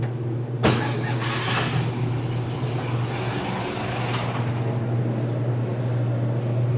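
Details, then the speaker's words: 1961 VW Beetle being revived after wiring troubleshooting, cold with choke open, battery about 46% charged: starter engages with a thump and spins the engine at a steady even hum; starting system works normally. "I hear clicking so I know the uh solenoids and stuff are working. Oh, she sounds like she'll go."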